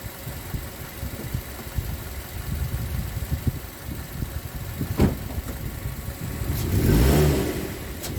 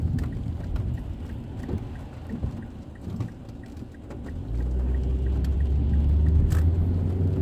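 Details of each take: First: 2006 Mazda 3 2.0L, stationary in gear, outside view while tapping throttle: each blip brings a surge with a sharp pop and rattle about every 1.5 seconds; suspected worn engine mount letting engine rock, heat shields ruled out; worse in drive. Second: 2006 Mazda 3 2.0L road test after replacing the main engine mount and the lower transmission mount: a steady low road rumble with rain pattering and no rattles, clunks or pops; the engine sits quiet on its mounts.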